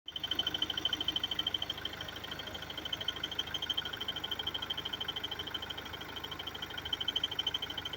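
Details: BMW F30 320d diesel at idle; light, sharp, regular ticking about three per second over the engine; abnormal engine noise, cause unclear.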